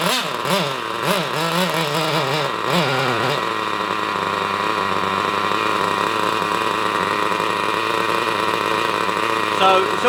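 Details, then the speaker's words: Hobao Hyper Cage nitro buggy after an engine transplant, previously seized; the tiny engine screams through three quick revs, then settles to a thin high buzz. Sounds lean on revs, which the owner suspects is a blockage rather than tuning. "And I know it sounds really lean when it rivs, [snorts] but the reason why it sounds lean like it does when it rivs is because I'm pretty sure there's a blockage there."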